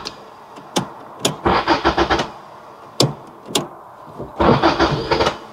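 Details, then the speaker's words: 1990 Toyota Corolla 4WD estate, parked 16 years, first start attempt on fresh battery: two short cranking bursts after key clicks with a few uneven catches that don't take; barely fires. "Oh, a little bit of fire ridge there."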